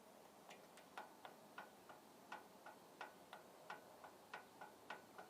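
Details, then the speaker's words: Auxiliary hydraulic valve solenoid from a 1994 John Deere 310D backhoe, removed, cleaned and connected to a battery: sharp crisp clicks about every third of a second as it energizes; solenoid functional. "I connected it to the battery and it picked"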